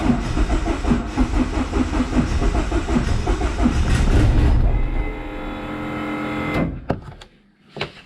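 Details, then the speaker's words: SRT-4 engine car after 420A head conversion: cranks with uneven chugging for several seconds, barely catches then dies; hard to start without giving throttle. "these um x98 is really hard to get it going if you're not giving it gas so let me see if i can jump in give it some gas"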